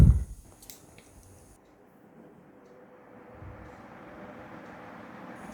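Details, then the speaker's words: Crompton Greaves HS 36-inch high-speed ceiling fan, after bearing replacement and with a 2.5 µF capacitor, switched on: a soft airy whoosh builds smoothly to top speed (estimated 390–400 rpm), with no grinding or ticking. A normal spin-up. "wow guys just as you saw the acceleration is really awesome and the top speed is really awesome it is giving a really nice airflow"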